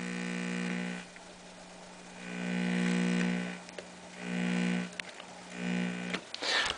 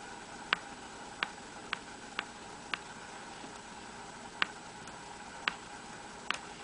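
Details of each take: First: RCA 87T tube radio (labeled 87X) on a variac, slightly leaking filter capacitor, no station reception: touching phono terminal gives a low hum that swells and fades with volume; audio amplifier and high voltage working, recap expected to improve it. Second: RCA 87T tube radio after 10-12 minutes powered on: sharp, irregular cracks over a quiet hiss when the switch is turned, with no hum and no audio, and volume does nothing; it likely needs a recap.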